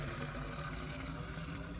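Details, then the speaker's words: Dry water well being refilled from surface through lifted well head, pump tested fine at about 8.5 amps: steady rushing and gurgling whose tone changes as the water level rises. "You can hear it coming up now. Yeah, you can hear the sound is different."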